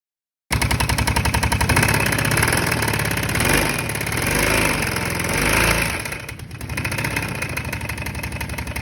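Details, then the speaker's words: Kawasaki Brute Force 650 ATV submerged in mud to handlebar height, owner suspects water ingestion bent a rod or spun a rod bearing; sharp, fast, steady knocking about four per second over rough running, swelling with revs; clutch not yet ruled out. "i'm thinking it bent a rod or blue a rod bearing or a rod because it's got a pretty bad knock which you'll hear"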